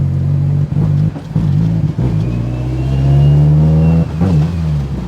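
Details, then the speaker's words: Evo 8 after cam sensor replacement: engine revs hard but stumbles and drops out several times before pulling again, an uneven bucking under throttle; hesitation under acceleration, owner suspects a faulty crank sensor though RPM still reads, not confirmed. "if it's not the cam I'm suspecting a crank it's got to be a crank sensor even though it's still showing RPM"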